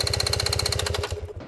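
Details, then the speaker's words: 2022 GasGas EX 250 two-stroke dirt bike after a crash and slight flooding: fast even cranking, about fifteen beats a second, never catches and winds down; cranks but won't start, owner suspects fouled spark plug, replacing plug fixed it. "And we had a hard time getting it to start after that, but we did get it home. I think it's just a spark plug, but if you've got a 250 EX two-stroke and it won't fire up, uh maybe you have the same problem I do."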